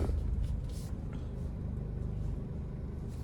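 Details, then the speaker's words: Toyota Innova holding about 1000 rpm: deep steady low boom through the whole body, unbearable cabin vibration felt at 80-90 km/h, no sharp knocks; worn engine and gearbox mounts, to be replaced along with the clutch. "പിന്നെ അതുപോലെ തന്നെ ഒരു 1000 RPM ഇങ്ങനെ ഒരു 1000 RPM പിടിക്കുമ്പോൾ body ഫുള്ളായിട്ട് ഊന്ന് പറഞ്ഞിട്ടൊരു നോയ്സാണ് വരുന്നത്. ഭയങ്കര ഒരു വൈബ്രേഷൻ, ഒരു ഉള്ളിലിരിക്കാൻ പറ്റാത്തൊരു വൈബ്രേഷൻ."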